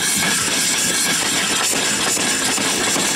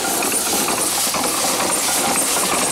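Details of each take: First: Erie steam engine running on boiler steam after the water was drained from it: steady steam hiss with an even, unbroken running beat and no knocks or stumbling; it runs well. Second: Steam engine on its first run, boiler low on pressure: a constant loud hiss of escaping steam over faint chuffing. It is leaking badly from many worn seals that still need fixing.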